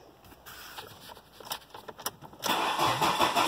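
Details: 2002 Ford Focus with a catalytic converter fitted: cranking catches at about 2.5 seconds into a loud, raspy, unmuffled idle. The exhaust is far too loud; the cause is suspected, not confirmed.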